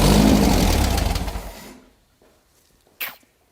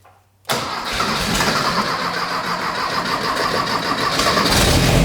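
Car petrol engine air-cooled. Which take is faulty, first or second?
first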